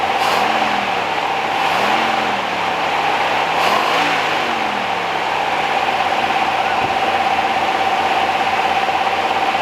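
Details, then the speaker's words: 1969 Rover P6 Series 1 3500 V8 automatic, just revived after 16 years in a garage: throttle blipped up and settling back several times, even tone, no tappet or cam rattle. Running better on its own, a healthy, tight engine. "quiet as a mouse well the red s we had rattled like a diesel like a perkins when we started it but this didn't raffle at all"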